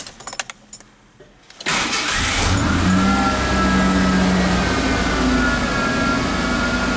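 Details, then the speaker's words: 1988 Ford Ranger 2.9L V6 after idle fix (manifold pressure sensor replaced, new idle air control valve, intake cleaned), not fully cold: starts after brief cranking, smooth steady fast idle dropping from about 2,000 toward 1,200 rpm while warming; normal fast idle. "yeah it's not too cold it's dropping it back down otherwise it will idle it at about 2,000 while it warms up it's dropping it down to 12200 already"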